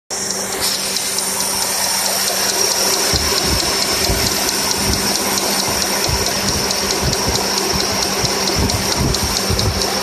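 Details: 2002 Toyota Corolla idling with a hissy running sound and a loose knock about twice a second; knocking started suddenly that day on the drive home from work.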